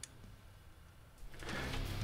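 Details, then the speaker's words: Old hard drive after a dead-weight drop test: quiet, then a soft motor whir rises and settles into a steady spin with no clicking or scraping; healthy spin-up noise, files still accessible. Normal spin-up. "It made a healthy noise on startup, and it actually shows all the files, which I can access."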